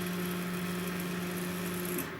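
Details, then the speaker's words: Chinese laser cutter gantry stepper motor at about 80 mm/s, after resonance at 40–70 mm/s. A steady, even hum with a clean constant tone and no rattle; smooth stepper motion with little vibration. "little going on there and also the sound is very smooth"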